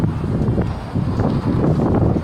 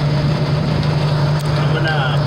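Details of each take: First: 1987 Ford Bronco II 2.9 petrol engine after distributor work: long, uneven cranking with stretches where it tries to catch but won't fire cleanly; flooded, fuel-soaked spark plugs make it hard to start. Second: Normal idle of a 1987 Ford Bronco II 2.9 that had stalled and would not start. After the distributor, pickup coil and coil were checked and a wire reconnected, it starts from the ignition switch, remote starter bypassed, and settles into a steady, even idle with no misses.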